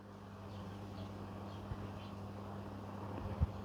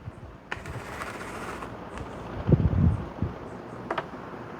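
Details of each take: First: Vintage Brinsmead electric fan on low speed with the cage off, after bent blades from a fall were fixed: quiet, steady motor hum with no wobble or knocking; it runs smoothly with no vibration. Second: Vintage Brinsmead desk fan that fell off a bench, winding up on low speed: low, uneven rumble with loose knocks and guard rattle, wobbling the bench. Blades are out of balance, possibly from a bent shaft.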